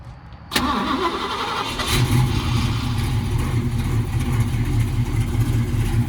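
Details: 1968 Mustang coupe, 302 V8 with mild cam, 3-speed manual: brief starter whirr, fires right up and settles into a steady, slightly lumpy V8 idle; normal cold start and idle.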